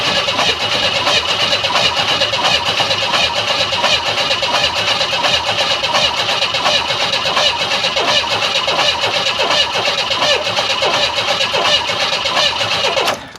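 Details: 1994 Chevy Astro Van with newly installed remanufactured engine, distributor and fuel pump unplugged, low battery; steady even starter churn about 85 beats per minute, no knocks or grinding, reached 40 psi oil pressure; normal cranking.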